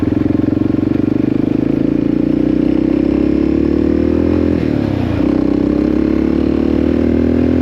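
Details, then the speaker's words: 1984 Yamaha XT600 after swapping wrong carb jets for correct standard jets, new plug: strong, steady single-cylinder drone at wide-open throttle up to 75, pitch climbing smoothly with no breakup. Slight leanness suspected for the popping on throttle-off. "It didn't break up at all. Huh, that's weird. That's the first time that I've ever had it not just break up like crazy."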